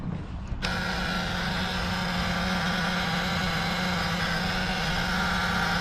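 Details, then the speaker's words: Crusader 8.1 Captain's Choice marine V8 with new long block, running rough and not making rpm: lumpy uneven idle with a missing beat in the firing rhythm; one dead cylinder, not fuel pressure regulator. "it's got a full-on dead hole somewhere so it does sound weird right it it doesn't sound right"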